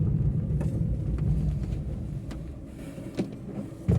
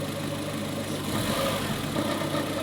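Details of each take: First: 2021 Maruti Eeco CNG, 31,000 km: after throttle body cleaning and throttle calibration, idle is perfect and it drives well with no rpm fluctuation; steady low engine rumble under way, no misfire or surging, a couple of light road thumps. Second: 2021 Maruti Eeco CNG, 31,000 km, idling: rpm fluctuates two or three times when CNG is switched off, a gentle rise and fall rather than a steady beat; idle hunting blamed on a very dirty throttle body, to be cleaned.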